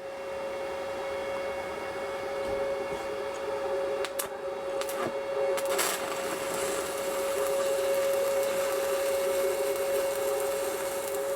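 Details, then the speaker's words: Stick welding on scrap with 309 rod on Sepaspe Arc 200 machine: steady crackle and buzz with sharp pops and spits as the overheated rod sputters toward its end; rods get very hot, not the machine at fault. "You could hear it kind of sputtering towards the end. Not the machine, it's the rods."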